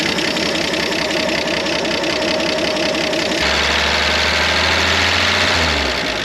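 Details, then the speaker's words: 1973 Jeep CJ5, sat 16 years, running on electric fuel pump: light even putter at steady idle like a small tractor, some extra hum partway; no knock, gauge up to 40. "Well, there she is. What in the world? Sounds like a little tractor motor."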